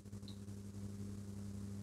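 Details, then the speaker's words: Epiphone Valve Special valve amp, warmed up, master volume at zero: a steady low buzzy mains hum persists; a noisy pot is suspected, and DSP and reverb add hiss; cause not yet confirmed. "it's humming you hear that come on make a noise it could be that pot that just makes a lot of noise"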